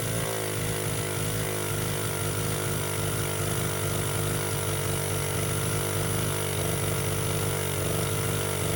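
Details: Baja 49cc mini bike with neglected carburetor being rebuilt: small engine screams at a constant high buzz, revs pinned wide open with no drop toward idle even with throttle screw fully backed out. Owner suspects air intake.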